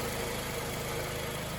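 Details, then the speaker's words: 2005 Scion tC, Toyota 2.4L, after overheating from coolant loss; new water pump, thermostat, radiator cap, oil and filter: smooth, even idle with steady low hum, no knocks, ticks or squeals. Normal idle after repair. "okay if you can hear that motor running then uh you'll know our indicator of success"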